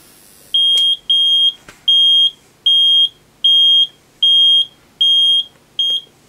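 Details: Vinidex HST-S-160 electrofusion welding unit after repair of error 1/error 2 (power supply) faults: eight even high-pitched beeps, about one every 0.7 seconds, over a quiet background; the weld cycle finished normally without an error.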